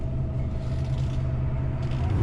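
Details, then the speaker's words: 1965 Oldsmobile F85 Cutlass, 52K original miles, higher compression engine, idling in park: thin steady whine over a smooth low idle, the normal sound of its two-speed Power Glide-type automatic in neutral or park. "You hear the little whine of it. It's a 2-speed Power Glide. I don't know what Oldsmobile called it in 65, but like a Chevy Power Glide. You can hear the little whine of it when it's in neutral or park."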